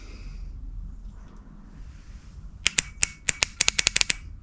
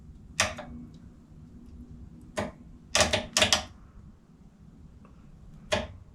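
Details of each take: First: Honda CB450/CB350F project starter solenoid bench-tested on a freezing January day, one side grounded and the other on battery positive: rapid dry clicking bursts as the plunger snaps, with a whiff of smoke. It works, but the contacts are dirty and need cleaning. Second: Honda motorcycle starter solenoid after disassembly and cleaning, reading 0 ohms when engaged, grounded as if the button were pressed: sharp, crisp, solid single clicks. The solenoid now works.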